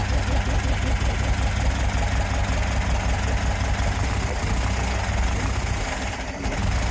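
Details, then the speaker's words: VW sandrail dune buggy, unused for 18 months: lumpy, uneven low idle firing on only three cylinders, running very rough. A faulty vacuum hose was later found as a possible cause. Misfire on one cylinder. "I think it's definitely firing only on 3. I'm going to take the spark plugs out and give them another clean, see what the problem is."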